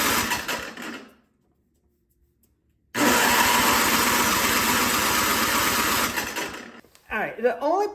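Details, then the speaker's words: Toro 521 snowblower with a reassembled carburetor, started at full throttle, fires briefly on starting fluid then dies; the main jet adjustment is suspected to be screwed in too far, starving it of fuel. "pop off on starting fluid but it's almost it's acting like it's not getting gas I'm starting it on Full Throttle"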